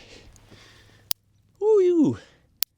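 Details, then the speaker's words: Electric fence shorting out after heavy rain let it settle and sag: two sharp crisp snaps about a second and a half apart, heavy spark as the wire arcs to ground at the contact. "I can hear it from here. The fence is shorting out somewhere on this side."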